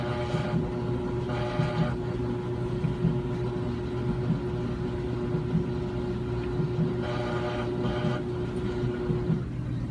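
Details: Brand-new Samsung washer making a steady low-pitched buzz at one pitch with a faint pulsing surge every second or so; abnormal buzzing noise, cause unclear, washer was returned.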